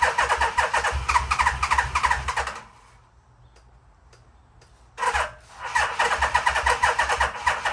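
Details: 1987 Yamaha Venture Royale 1300cc motorcycle, long stored, with a cleaned tank, new gas and new battery; the starter churns in two long bursts at about three turns a second and the engine never catches.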